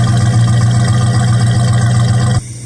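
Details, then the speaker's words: 1969 Dodge Dart with steady fuel flow, warm day, no choke: deep, steady burble with an even, unbroken beat, no misses or ticks; clean, healthy idle. "And we have a steady flow of fuel. So that's a good thing. Nice healthy exhaust note there."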